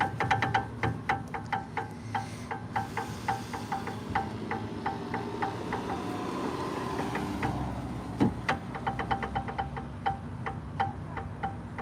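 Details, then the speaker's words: Rear brake rotor hand-spun on a 2012 Jeep Grand Cherokee SRT (WK2, 6.4L HEMI) after new pads and rotors: light, even ticking and faint scraping as parking brake shoes drag slightly on the drum, adjustment still too tight. "They're making contact slightly. I can hear them in contact a little bit. I don't want to make any contact in there."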